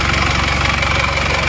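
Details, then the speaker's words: Isuzu Panther LV Adventure diesel at idle in the workshop: steady idle with fast, rough clatter over the engine note; harsh and not smooth, cause not pinned down, full teardown suggested to find it. "Oke teman-teman sudah sampai di bengkel ini memang suaranya agak suara kelek gitu ya Jadi kurang halus memang saya mesin kurang halus"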